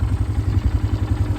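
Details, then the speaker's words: 2008 Polaris Scrambler 500 HO 4x4 ATV: even steady single-cylinder thump at idle, evenly spaced beats, no misses or sputter. Normal idle. "But no, it'll sit here and idle all day. It doesn't care."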